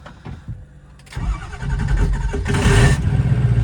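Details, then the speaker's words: Ford 6.0 diesel single cab with oversized injectors, cold morning start at around 60 degrees: several seconds of slow, uneven cranking thumps, then it catches into a rough diesel idle; slow cold start, once cranking about 30 seconds, cause not confirmed. "That one wasn't as bad, but yesterday this thing sat here for probably 30 seconds. I had to crank it. It always fires up and runs good though, I will say that."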